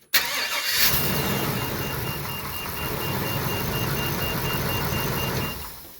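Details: Workhorse chassis with 8.1 Vortec V8, during crank-no-start troubleshooting with a Noid light on a fuel injector; quick crank, catches right away and idles evenly; normal start and idle.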